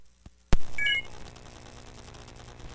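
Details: iPad headphone jack cabled into a podcast mixer; after a thump as the iPad sits in its powered charging cradle, a loud steady low hum appears, gone when unplugged from power; ground loop.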